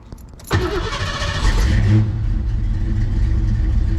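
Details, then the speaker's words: Foxbody Mustang V8 with bogging, hesitation and power loss, after replacing belts, hoses and other parts: brief roar at start-up, then low, uneven, lumpy idle left to relearn. "Still sound like it's running like but we're just going to let it idle and relearn everything and see what happens."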